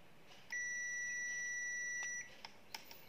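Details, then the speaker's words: Zotek ZT111 digital multimeter on continuity/buzzer setting, probes touching: steady high-pitched beep under two seconds, showing the points are shorted or connected; continuity beep indicating short circuit. "đối với âm thanh này, thường nếu nó ngắn hoặc ngắn, âm thanh phát ra như thế này"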